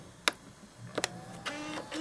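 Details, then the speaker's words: 2005 iMac G5 20-inch reassembled after a DIY repair and powered on from the back button: a couple of sharp clicks, then a faint steady hum and a low rising tone; powers up normally. "Okay, that sounds good. Oh yeah, it's turning on."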